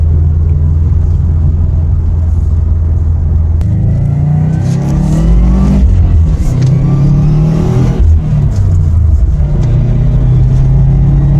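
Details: Subaru WRX after wheel bearing replacement, driving: engine revs rise and fall with no growl or hum tracking road speed; bearings quiet, noise gone, car fixed.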